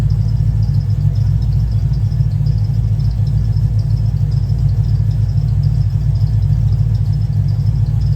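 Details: Cadillac CTS-V just tuned after heads and cam install: deep rumbling idle with steady choppy cam lope, no knocks or rattles; owner notes a bad miss needing troubleshooting before driving.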